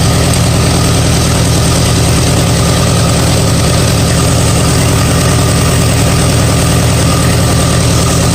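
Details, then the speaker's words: 1959 Allis-Chalmers D-17 tractor after rewiring, with good oil pressure indicating a healthy bottom end, charging about 13.3 V: deep steady idle thump, even and unbroken, with no knocks or misses. Normal idle. "I'll tell you what I'm really happy to see that we have good oil pressure that meets the bottom end of this motor is it good in other words this tractor has a lot of life left in it"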